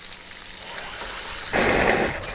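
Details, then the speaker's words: Off-grid water system, newly plumbed glued pipework: cold water spits and surges from the tap because of air trapped in the line after first pump test; pressure otherwise good. "But there's quite a lot of air in the line, so it might take a fair bit compressing that."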